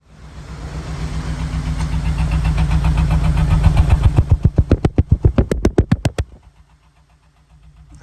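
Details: Honda Element petrol engine with a P0301 cylinder 1 misfire that came on with the check engine light while driving: rough, lumpy idle breaking into heavy, regular chugs before it dies, a dead-cylinder misfire.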